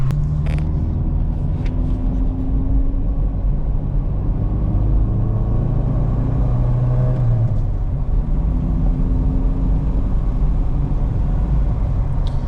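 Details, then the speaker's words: 1987 VW MK2 Jetta, newly swapped from 3-speed automatic to 5-speed manual, revved toward 4,000–5,000 rpm through each gear on the road: engine note climbs smoothly then drops on each shift, clean and even, no knocks or rattles; normal. "And it's fun now because I can rev this car out like way farther between each gear and it sounds really good, and this is exactly what this car needed."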